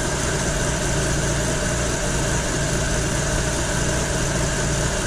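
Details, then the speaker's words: 1930 Ford Model A coupe with BMW V12 and two Rochester 2G carbs, rebuilt after a stumble on throttle, idle air mixture screws being adjusted; deep, even idle rumble holding steady with no misses or dips, idling smoothly. "nice and smooth these have nothing to do with high rpm driving or cruise driving these are only at idle idle air mixture screws"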